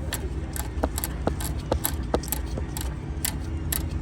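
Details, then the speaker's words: Subaru A/C compressor after a body shop replaced the condenser and recharged the system, with liquid refrigerant coming out of the suction line. Uneven clicking about twice per second over the running hum; possibly pumping liquid, cause unconfirmed. "but then I'm having this other kind of click that I've never felt before and a a slightly different noise"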